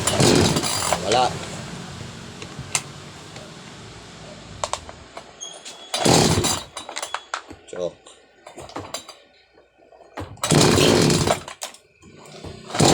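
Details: Chainsaw with a customer complaint of misfiring, traced to a faulty spark plug that was replaced: it fires and revs cleanly in three short bursts with quiet gaps between, picking up crisply each time. Normal running after the repair.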